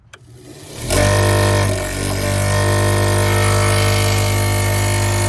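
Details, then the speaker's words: American Standard gas pack package unit, no-heat call: inducer starts with a loud rough hum and fluttering uneven whir from a broken, out-of-balance blower wheel; inducer faulty. "yeah I'd say there's a problem with that inducer"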